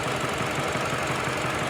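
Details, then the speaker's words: Mini Cooper idle with regular lumpy stumble, a dropped beat several times a second; DME live data shows misfire jumped to cylinder 3 after earlier pending codes on cylinders 2 and 4; injector replacement planned. Cylinder misfire from faulty injector. "So when you go to the DME and go to live data and go to misfiring, now the misfiring has jumped to cylinder 3 and it is still there."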